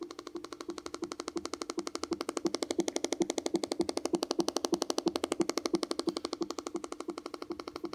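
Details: 2013 MacBook Air: sharp, very even clicks about three a second over near silence, a repeating mechanical click inside the laptop, source not pinned down.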